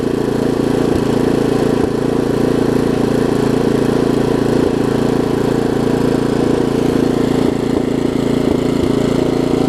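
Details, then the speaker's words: Craftsman 17-inch rear-tine tiller, 5hp horizontal Briggs, probably 90s, stored years with empty tank: after cleaning, new carb diaphragm and carb screw adjustment, steady even putter at constant speed, no misses or surging; healthy, super small fuel leak. "I just adjusted the screw out there a little bit listen to that thing run now things are amazing a super small fuel leak and that's it we go"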